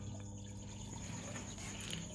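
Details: SunSun HW-603B external canister filter (400 L/H, 6 W) test-running in water: steady gentle trickle and splash with a faint even hum, and no rattle. The filter outflow is normal.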